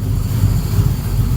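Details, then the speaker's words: Freshly built engine on its coldest start yet, with no driveshaft fitted and the battery reading about 13 V while charging. A deep, low idle swells and sags every fraction of a second as it is still learning to idle; the uneven cold idle is not yet settled. "oh yeah it's learning how to idle it's never been started this cold on this engine"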